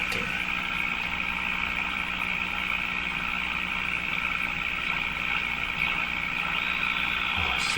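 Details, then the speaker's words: Mohawk Model 1240 five-tube radio receiving a 1000 Hz test tone tuned near 1400 kHz: steady hiss with hollow, warbling garble and the tone barely audible from the speaker; signal suspected to be getting corrupted later in the circuit. "so I hear a garble I hear a noise and I can hear the Thousand Hertz tone barely in there so that's what's coming out of the speaker"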